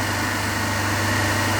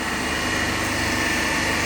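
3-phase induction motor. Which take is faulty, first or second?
first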